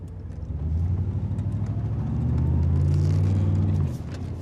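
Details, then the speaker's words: Chevrolet Silverado with 8.1 L Vortec 8100 V8 that has started misfiring and backfiring under acceleration. Weak, unsteady idle with rpm sagging, then a choppy, stumbling rev with irregular beats: rough idle with misfire. "you notice how the rpm keeps falling and it's not a real strong idle"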